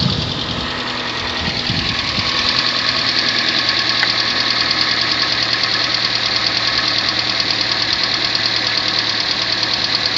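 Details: 2014 Kia Sportage 3 (Restyle), AWD, 13,000 km: engine running with a quick light knock, roughly three per second, over a bright hiss; owner asks if all have it, source not pinned down.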